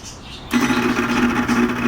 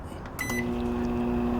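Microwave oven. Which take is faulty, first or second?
first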